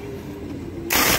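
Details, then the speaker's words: Mitsubishi Canter truck starter motor cranking: steady whirring hum, then harsh grinding "krak krak" and "ter ter" bursts as the drive gear slips off the ring gear; damaged, slipping bendix gear, starter removed for repair. "bunyinya itu krak krak gitu ya, atau ser ser ser gitu, kadang krak kadang ter ter ter gitu."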